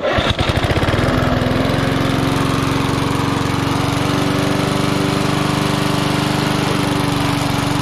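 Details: Vintage inherited lawn mower being revived: steady, even single-cylinder beat holding constant speed after a brief start-up, no misses or knocks; engine running healthy.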